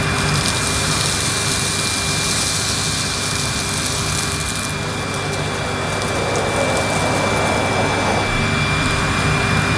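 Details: Panasonic MC-E862 bagged cylinder vacuum, bought new in box, picking up dirt on deep pile carpet: a steady motor whine of constant pitch with an even airy rush; a relatively quiet, good performer running normally.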